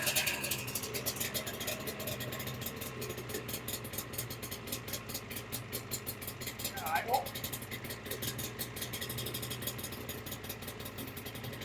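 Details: 1995 Ski-Doo Formula S 380 snowmobile, not run for about a year, primed and started: quick, even two-stroke popping holding a steady idle with no misses or stumbles; idling normally.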